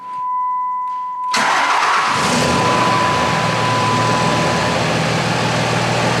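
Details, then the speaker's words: 2006 Ram 2500 with 5.9L Cummins, G56 manual, 130,000 miles; the power steering/hydroboost pump had been noisy with steering wheel and brake pedal vibration. After topping up the fluid and refitting the cap, the diesel starts and clatters steadily with no pump whine, so it is fixed. "okay well that was easy it's fixed"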